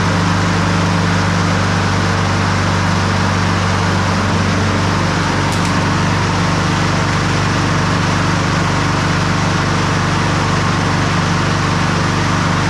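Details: Honda push mower that sat a year and reportedly wouldn't crank, running to warm the oil before draining it on a 55-degree day. The single-cylinder engine holds a steady, even drone with no misses or surging.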